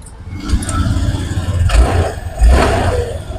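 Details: Honda Click 150 scooter that had no panel power, fixed by cleaning the loose fuses with WD-40 contact cleaner: the engine catches, blips up twice, then drops back to a steady, even putter with no misfire or rattle. Normal start and idle.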